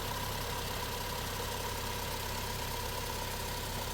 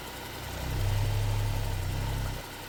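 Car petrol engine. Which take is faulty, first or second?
first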